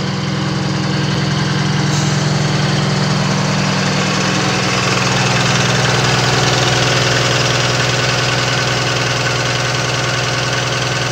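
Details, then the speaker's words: Diesel truck idling steadily and evenly with a smooth low drone, no knock; the air compressor kicks in and out, the engine sounds good and runs good; a coolant weep from the water pump weep hole is seen afterward. "I mean, it sounds good and runs good. Yeah, I got Rob on the phone, guys. He's listening to it. He said it sounds good. Looks good and sounds good."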